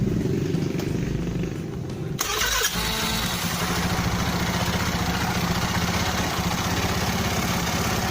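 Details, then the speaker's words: Honda Beat carburetor scooter after fixing a starter that sometimes jammed or failed: starter whirs about two seconds without scraping from the starter gear, then the engine catches and holds a steady, even idle; normal cranking and start. "Nah Oke jadi engak Ada gesekan di bagian gear starter ya teman-teman ya berarti sudah beres"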